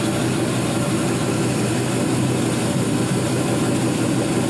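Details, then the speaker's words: 4.8L Gen 3 LS V8 with 175k miles and new lifters, warming past 145 degrees in closed loop: smooth, even deep rumble with no ticks, knocks or misses, no smoke; normal warm idle. "no weird noises no drips that's why i like to show you with everything attached as far as like what you're going to get"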